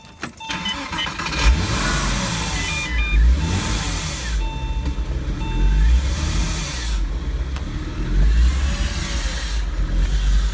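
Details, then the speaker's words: 2000 Porsche Boxster S just fitted with a 997 Carrera 74mm throttle body and plenum, first start: lumpy, uneven idle with a faint hiss underneath; owner suspects a big vacuum leak somewhere. "sounds like I got a pretty big vacuum leak [Music] somewhere"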